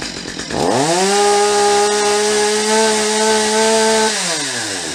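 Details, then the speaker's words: Stihl MS250 chainsaw after carburetor removal, cleaning and adjustment of the high and low screws: revs up cleanly, holds a steady high buzz without surging or stumbling, then drops smoothly to idle; runs much better than before. "so that runs much better than when we started this video I'm gonna do a little fine-tuning on the carburetor you can hear it's pretty close the way it is"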